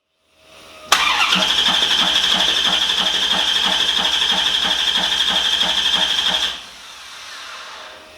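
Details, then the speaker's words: 1950 Chevy Coupe with a 1993 C4 Corvette engine swap, first start after wiring: about five seconds of steady cranking at roughly four beats a second with a high starter whine and no firing. The ECU ignition-source wire was not powered during cranking; a fuel leak was also found. "I didn't check the wire I was trying to use for the ignition source for the ECU to make sure that it was powered up during cranking. I just assumed it was."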